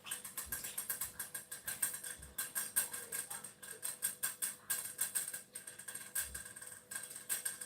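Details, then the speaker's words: Saladmaster pan heating on medium: quick, even bright clicking about three per second as the vapor valve chatters, showing the pan has reached temperature and the heat should be turned down to low. "now i believe we can hear the clicking sound intellect master will look at medium weight for the valve to click"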